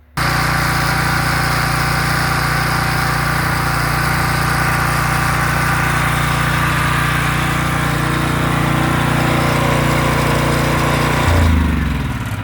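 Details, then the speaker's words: Generator after no-start and gas leak repaired, restarted with choke: small engine drones evenly at constant speed, no misses, surging or knocks, then note drops off; working normally. "And there you go, folks. It's all all done. Working great now."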